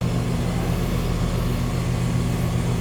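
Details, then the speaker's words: Condenser of a 2-stage central AC at a rental property, fixed after miswiring, running in stage 2 (high stage) at about 18 amps versus 15 in stage 1, roughly 20% more; steady low hum, even drone, no rattles or squeals; normal. "Okay. Now we're drawing about 18 amps. So we are getting a difference, about a 3 amp difference. It's about 20%. So appears to be working."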